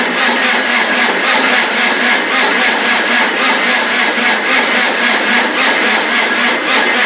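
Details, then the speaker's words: Land Rover 300Tdi diesel, just rebuilt, first crank with fuel hooked up and injectors not yet connected: slow, even rhythmic starter churn, about one pulse a second, never fires; no fuel coming through the injectors yet. "Anyway, it should be enough to get this working. No, I thought we would have had some fuel come through the injectors by now."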